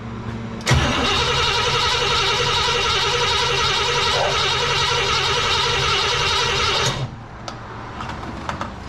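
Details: Cadillac 390 V8: starter churns about four beats a second for six seconds, never fires; owner suspects no fuel reaching carb yet, may need choke held closed.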